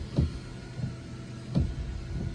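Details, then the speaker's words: 2014 Honda CR-V front wiper motor after replacement (wipers were slow or sometimes dead before): soft motor hum with an even sweep about every 1.4 seconds, no grinding or hesitation; working properly. "We're gonna try and see if there's any interference. And it's working fine."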